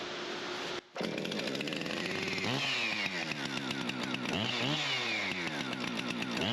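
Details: Husqvarna 455 Rancher chainsaw after bar-oil leak repair and new primer bulb: fires up after a brief stall and revs freely, rising and falling cleanly with throttle; sounds healthy.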